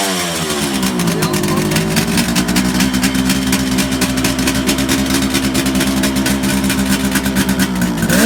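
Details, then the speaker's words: 1971 Kawasaki H1 500 two-stroke triple, after fixing a spark plug cap fault and a loose wire at the distributor cap: crisp even buzz rising and falling cleanly with throttle, no misfire. Normal running. "we think we got her fixed now it turned out to be a spark plug cap so uh and the wire was loose down here on the on the on the distributor cap rotor or the distributor cap itself"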